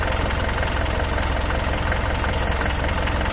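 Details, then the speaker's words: 4M42 diesel after injector work (damage blamed on missing fuel filter), first start after reassembly. Steady, even idle with a smooth low thrum, no misses or knocks; clear-running. Normal idle. "Sige, start. Yun, lumandar na. Observe lang muna natin mga parikoy."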